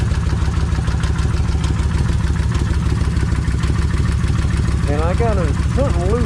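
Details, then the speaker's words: Kawasaki Vulcan 1600 V-twin idling on a cold start before warm-up and crankcase flush: light ticking over the lope at about three a second; owner expects lifter chatter, cause unconfirmed. "let me go ahead and crank it let's see how them lifters going to be sounding they should be [Music] chattering"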